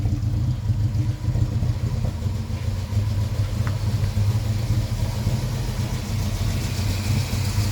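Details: 1973 Volvo 142 B20 Sport with twin SU HIF6 carbs: low lumpy idle surging and dipping every second or so, running rich; rough idle from too-high fuel pressure.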